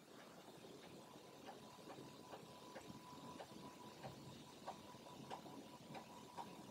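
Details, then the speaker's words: Atari 1050 floppy drive with Mini-Speedy upgrade, formatting and then copying a disk, makes quick, even head-stepping ticks over a faint hum as sectors are written fast; normal high-speed disk write. "all right there it goes and you can see how fast it's writing those sectors to the disk"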